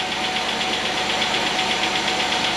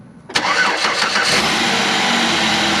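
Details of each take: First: 2008 Chevy Equinox 3400 engine, first start after head gasket replacement: quick even light ticking over steady idle, no check engine lights; valve train a little dry, expected to quiet as oil circulates while warming. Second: 2008 Chevy Equinox 3400 engine, cold first start after head gasket replacement with fresh oil and coolant: brief crank, catches immediately, settles into steady even idle, zero hesitation, no smoke; normal cold start before warm-up.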